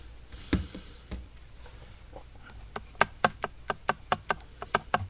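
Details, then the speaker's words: Arrma Mojave EXB 1/7 truck with a Hobbywing Max6 1650kv motor being installed: crisp quick clicks as the spur gear is rocked back and forth. Pinion-to-spur mesh correct after loosening from too tight. "And that's the sound I want right there. Now I'm going to go ahead and back the screws down one at a time, just not to mess up my mesh."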